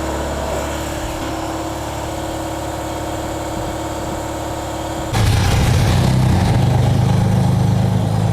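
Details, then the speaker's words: Audi 90 Quattro Sport salvage-yard car, 223,000 miles, engine running on lift with wheels spinning: steady drone then harsh grinding as gear is forced in, fighting to go in gear; dragging clutch. "It's like fighting to go in gear. It's fighting to go in gear. And if it was on the ground, it would not go in gear. It's just because it's spinning the..."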